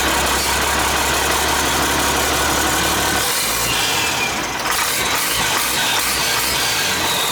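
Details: International 7100 with DT466 diesel, first start after in-frame overhaul (fresh head, liners, pistons, bearings, radiator), after bleeding injector lines: loud, steady diesel clatter at idle with a smooth, even beat, no knocking or misses. Engine sounds healthy.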